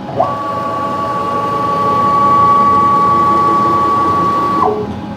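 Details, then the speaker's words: Precision Matthews PM-727M CNC-converted mill after fixing clicking from rubbing plum couplings: clean steady stepper whine ramps up, holds even pitch, then drops off; smooth, healthy axis travel. "the meal sounds really good. Uh, the axis move really nice. They sound really good. Got no complaints."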